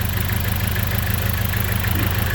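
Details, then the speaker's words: Petrol engine idling rough and stumbling as one cylinder misfires, with a smell of unburned gas; owner suspects a faulty ignition coil and checks each by pulling its wire: engine misfire at idle. "as you can hear now the engine is a misfire and joking it's not and it's smelly so how to check it"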